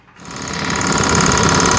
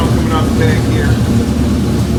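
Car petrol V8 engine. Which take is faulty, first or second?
first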